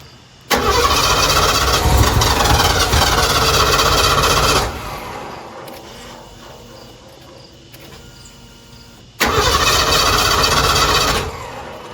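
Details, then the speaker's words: Partially converted tiny home camper van abandoned about a decade, revival attempt: two bursts of steady starter cranking, about four turns a second, no firing; cranks but won't start, owner hears fuel reaching rail but suspects no injector signal. "Yeah, it sounds like there's fuel coming into the rail. Nothing going into the engine."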